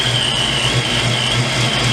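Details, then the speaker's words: Ford Mustang V8 first start after build, timing set to 30 degrees, big cam: steady idle with slight uneven lope every half second, a little rough and rocking, smoothing when revved. "but she's coming along sounds pretty good little bit rough on idle"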